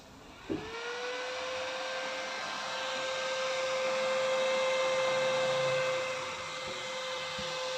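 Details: Lakoni 900 W electric welder whose fan wouldn't run and wouldn't weld, after replacing a burnt 2.2 ohm resistor: fan spins up quickly into a steady, even whir holding constant; cooling fan running normally.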